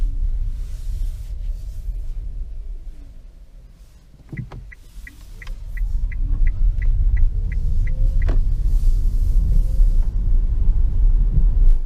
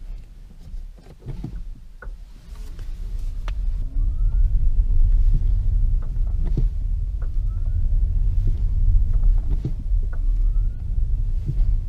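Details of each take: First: 2015 Nissan Leaf on a wet, muddy road in regen mode, gentle acceleration and deceleration, after lubricating the front stub axle splines and retightening the hub nut; steady tyre rumble with no click; clicking axle fixed. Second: 2015 Nissan Leaf driving on the flat: sharp single clicks from the front axle over quiet road rumble when switching between throttle and coasting/regenerative braking, caused by a dry stub axle and hub nut working loose.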